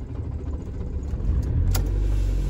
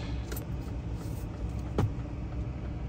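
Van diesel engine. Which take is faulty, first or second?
second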